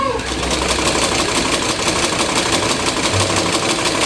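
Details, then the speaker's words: Luxor sewing machine after oiling to cure cricket-like chirp: even steady whirr with fast light ticking, no chirp or squeak; fixed. "Look, you can hear that it no longer makes the noise it used to make, which was ñeque ñequ ñque ñe."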